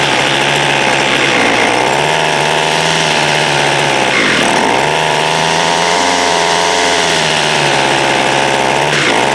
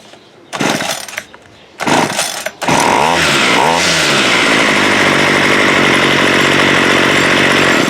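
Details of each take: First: Water-soaked 2016 Homelite 26cc curved-shaft two-stroke trimmer, first run: high buzzing that surges and sags every few seconds instead of holding speed; running rough, idle and low-side adjustments to follow. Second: Water-soaked Homelite 26cc curved-shaft trimmer after a carb kit, with idle adjusted up: short pull-start bursts, then it catches and settles into a clean, steady high-rev buzz; normal running.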